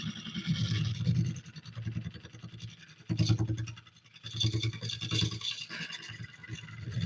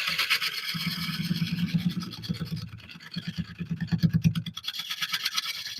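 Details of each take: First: Lathe at about 650 rpm roughing an oak burl bowl with a freshly sharpened gouge: steady low hum with intermittent crisp scraping bursts as the tool bites, throwing ribbons without being pushed; clean, even cuts. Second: Wood lathe turning an oak burl bowl from found wood: rhythmic scraping bursts, about three a second, as the gouge bounces and chips on each rotation over a knot the turner is trying to avoid; tool chatter from the knot.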